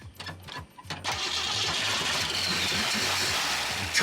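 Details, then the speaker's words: Abandoned classic Mustang in a junkyard with heavy blow-by and smoke: several uneven cranking chugs, then it catches and runs rough and unsteady but won't keep running; very touchy throttle, eventually got running. "oh yeah oh it was close try to keep it running the throttle is so touchy"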